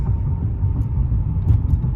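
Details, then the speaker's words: Dodge Intrepid idling with a flashing check engine light and P0201 after coolant bleeder housing replacement: low, uneven idle that lurches and shakes; cylinder 1 misfire from an injector connector unplugged during the job. "well i don't know if you can see it shaking no you can't but it is misfiring as it dings at me"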